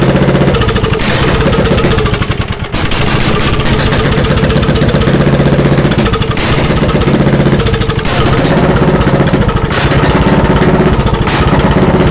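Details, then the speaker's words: Engine at cold start with an open exhaust and no muffler gives very loud, sharp, popping barks at a fast, fairly steady idle. It is slightly smoky. "that's good enough like you just hear it's really really loud this has an open exhaust right now"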